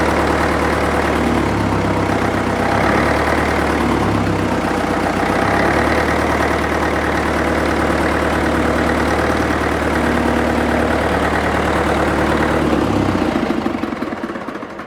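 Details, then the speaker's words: International Harvester 554 diesel tractor running following five years sitting: even, steady idle with low thrum, no misses or knocks, then shutdown; runs beautifully, little smoke though suspected glazed; loose water pump belt. "so she's starting to get a little bit hot but it it runs beautiful and and for something that's glazed there's not a lot of not a lot of smoke at all"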